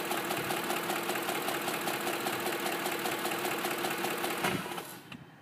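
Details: 2005 Ford F-150 SuperCrew 4x4 5.4 V8 at 126k miles, idle: fast light regular ticking about two to three per second; cams replaced at 88k but tick persists, no power loss, burns a quart of oil per 4k; cam phaser suspected.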